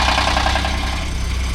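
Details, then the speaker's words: Ford F-150 bought at auction, cold start: loud, fast metallic cam phaser clatter over a rough idle with no oil in the phasers yet; lifter tick fades and it smooths out, though a heat shield rattles and the check engine light is on. "When you first start it up and there's no oil in the cam phaser, it makes a heck of a clatter, which is what you guys heard when we first started it up at the sale."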